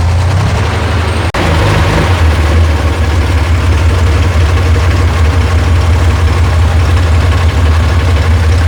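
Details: Rebuilt air-cooled FC six after the loose fuel pump wire was reconnected: a brief rev, then a deep, even low idle with no misses, knocks or rattles; it runs normally.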